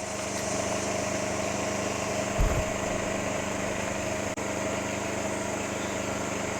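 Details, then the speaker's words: Champion 2500 W (1850 running) inverter generator running in eco mode, phone mic aimed from 25 feet: even low drone, faint constant hum, no misses; about 60 dB versus 53 dB ambient; normal clean idle. "so i'm getting an average of 60 decibels which is louder than i would expect because it's not very loud"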